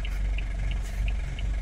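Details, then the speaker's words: Van on the road: heavy rumbling drone with a faint regular tick, worn, "cooked" wheel bearing; owner also plans new rear discs. "Donc je vais prendre directement les deux disques à l'arrière en uf et puis voilà les bah vous entendez le bruit. Le roulement il est il est cuit."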